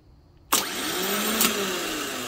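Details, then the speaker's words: 2004 Nissan Quest 3.5 V6 starter motor bench tested off the vehicle on a battery; sharp engagement clack then fast steady spin, previously spun very slowly causing intermittent no crank no start. "and there we are it's doing it quick now"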